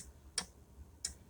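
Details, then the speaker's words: Lamination machine with no heating, after correcting the plate and reconnecting supply: two crisp clicks about 0.7 s apart over a quiet room; heater relay switching properly, circuit now works. "यह relay की आवाज आ रही है आप थोड़ा सा सुनना ध्यान लगा कर दो है यह देखिए अब"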